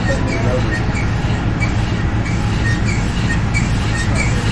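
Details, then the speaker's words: Toyota Tundra work truck on a test drive after new brakes and rotors: over road rumble a faint squeaky scrape repeats with wheel speed, louder on one side. It stops under braking or sharp turns; rear rotating source unconfirmed, bent axle shaft considered. "We still have a bunch of noise up there. Where's that noise coming from, Kyle? Yeah. Mystery noises in a thousand mile trip don't mix. This side's way louder, though."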